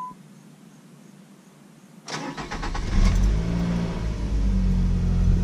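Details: Nissan Sentra after fitting a new battery: silence, then a short crank, and at about two seconds the engine catches cleanly and settles into a steady idle; normal start, owner thinks the problem is fixed.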